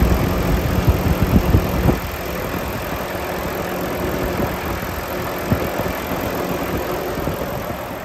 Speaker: I'm going to take off the oil filler cap show you the engine running and show you that there's no blow by on this engine it's in perfect running condition so let's get that idle turned up and we'll have a listen